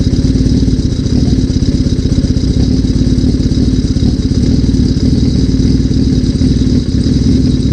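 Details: 1981 Suzuki GS650GL during rebuild, first start with fresh battery, plugs, oil and pod filters: even, steady four-cylinder idle held slightly high on choke, no misses or knocks; normal choke idle, small carb leak suspected.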